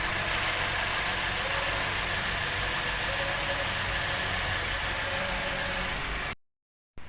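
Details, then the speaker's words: Perodua Bezza after replacing the noisy water pump: a smooth, even idle with no whine or rumble, so the earlier noise is gone. "这个 water pump 我们现在已经装好新的上去了，所以现在就 start 车，看一下还有没有刚刚之前的那一个声音。"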